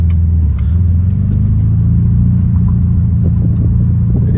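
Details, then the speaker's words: 1972 Volkswagen Beetle air-cooled flat-four with aftermarket exhaust, driving with windows down: deep, steady, loud throaty rumble like a rally car; healthy exhaust note, quiet with windows up. "this car does have aftermarket exhaust and sitting inside of it with the windows up it's really quiet it sounds really good but as soon as we roll these windows down you can hear this exhaust a whole bunch"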